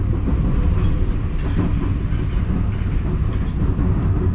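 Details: JR West 223 series train set W17, interior ride recording between Osaka and Kyoto, 2018: steady low rail rumble at speed with a dull recurring thump from one wheel; abnormal wheel flat sound.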